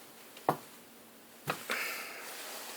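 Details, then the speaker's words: Spring tamper packing coffee in a Saeco Via Venezia espresso machine portafilter: a soft press, then a crisp single click about a second later. The spring has reached its 30-pound set pressure, as it should. "I heard the click, so I know I had 30 pounds of pressure."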